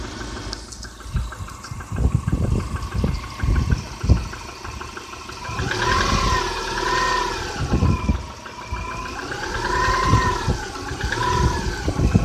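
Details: Subaru Outback EJ251 engine knocking 5,000 km after a rebuild, run in gently on Liqui Moly 5W30 oil; hard knock at idle that persists as revs rise and fall and quiets slightly when warm; internal knock, cause unknown.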